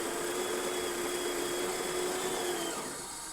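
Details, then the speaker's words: Breville Oracle Touch espresso machine after a full service in which the leaking brew-boiler OPV was replaced: steady grinder motor hum for under three seconds, then it stops and the disc coasts down briefly before tamping; a normal end of the grind. "Once you hear the grinder stop and you're going to hear the disc spin for a little bit, that's how you know that it's just finished and it's stamping"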